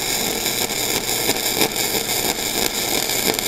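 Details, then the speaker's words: Flux-core MIG weld bead: steady crisp sizzle with fine even crackle and slight irregular popping; wire speed maybe a little fast but running smoothly, a normal weld. "sounds like my wire speed might be a little [Music] little fast but overall it's running pretty darn smooth"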